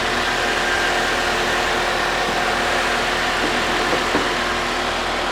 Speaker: she's dirty but she sounds really good